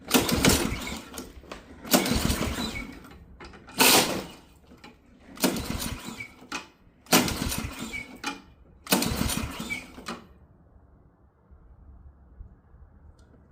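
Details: Ariens Professional 21 snowblower, Ariens AX 208 engine, 3.6 hours, sat years with bad gas, plug out dry, starting spray used: six pull-start bursts, each catching and dying within a second; spark present, carburetor starved of fuel.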